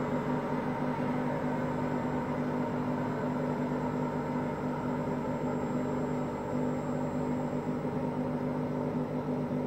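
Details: Hotpoint Aqualtis washing machine whose drum bearings just started failing that day: steady deep rumble with low droning hum under the spinning drum.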